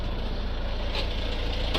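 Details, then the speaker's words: Renault Trafic diesel van idling after the intake air pipe was reconnected, before an intake cleaning fluid treatment. A light, fast metallic rattle rides on the diesel knock: a slightly rattly timing chain. "and as usual on one re you can hear the timing chain a little bit rattly there"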